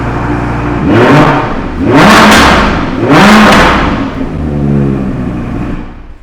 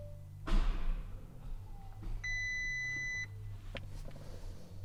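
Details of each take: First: Crashed Audi R8, stored two years, feared seized: three sharp revs climbing and falling back to steady idle, no knock or clatter; normal start and revving, no seizure or hydrolock. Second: Crashed Audi R8, pyrofuse bypassed, ECU updated, 13 volts present: starter gives single heavy thunk, engine barely turns then stops, warning beep; crank no-start, previously only clicked, owner suspects immobiliser, airbag and system fault warnings shown, unconfirmed.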